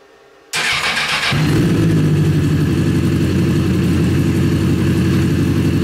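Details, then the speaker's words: Rebuilt Honda CBR 1000 buggy engine after major cylinder damage, just reassembled in the frame. Brief crank, then a deep, steady rumbling idle with even beats; sounds healthy, much better than before the rebuild. "now it sounds like it like it used to ah it's running it's right it sounds healthy it sounds so much better so much better than it did last time"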